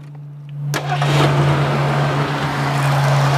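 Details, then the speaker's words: 1979 Ford Thunderbird Heritage Edition, 351 Windsor V8 with Duraspark ignition, 40,000 miles: short crank catches quickly and settles into steady, even low rumble with no knocks or misses; normal start and idle. "She starts right up. That Duraspark ignition works well."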